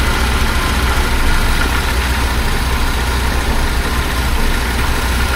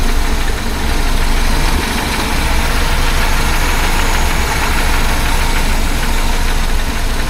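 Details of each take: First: 1976 BMW 2002 (E10) M10 engine with a new Weber-style carburetor and newer coil idles smoothly at about 790–800 rpm before full warm-up; earlier clicking has gone away on its own. Normal idle. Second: 1976 BMW 2002 (E10) M10 engine with new Weber-style carb and swapped coil, rough heavy idle: fast light clickety-clack ticking in the engine, source not yet found.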